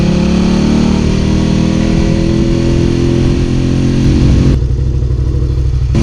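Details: Suzuki SV650 V-twin motorcycle revving: loud, ragged uneven beat with dropped pulses as revs rise; engine misfire, cause unknown.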